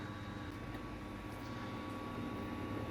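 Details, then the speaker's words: Samsung WD90K5B10OX washer dryer after welding its collapsed ballast and repairing the hoses: in the drying cycle a quiet, steady fan hum with a faint whine and no knocks or scraping, with heat felt. Normal drying operation. "okay so it takes on a bit of water it'll do some heating this thing yeah I can hear that fan starting and I can see the tub spinning it might be onto a winner"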